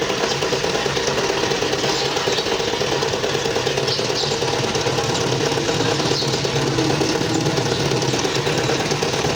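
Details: Toyota GLI engine at idle: busy, light metallic rattle over a steady idle, unchanged throughout; suspected worn or loose timing chain, not confirmed.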